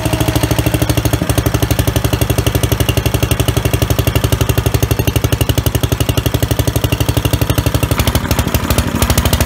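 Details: Old Dayton small single-cylinder generator first run after replacing fuel line and fuel filter, cleaning gas tank, checking oil; thumps evenly about four beats a second, brief tone change near end; normal running.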